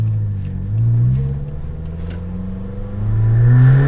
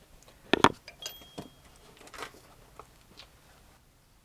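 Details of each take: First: Suzuki Jimny with a holed rear silencer (back box), heard on a test drive: a deep droning boom that swells as revs rise and fall, far louder than stock. Finding: blown exhaust rear silencer. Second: Suzuki Jimny after replacing the blown rear back box with a standard stock one: clicks and handling, then the engine fires and runs with an even, muffled exhaust note and no rasp; exhaust sounds as from factory.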